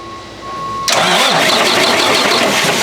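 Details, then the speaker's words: Freightliner Cascadia with a DD13 engine and Eaton 10-speed manual, no-crank with code SPN 677 FMI 5 (starter relay open circuit). With the solenoid jumped, the starter engages and cranks loud and even; starter and solenoid work, so the fault is the missing power to the solenoid. "awesome so the starter is cranking the solenoid is working now we got to see why we are not getting power to the solenoid to engage the starter"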